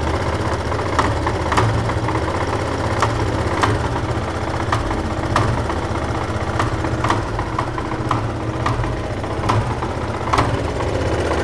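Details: Yamaha Fazer motorcycle at idle: sharp ticking knocks roughly every half second over the engine; a strange engine knocking noise, with each mechanic naming a different cause, origin unconfirmed.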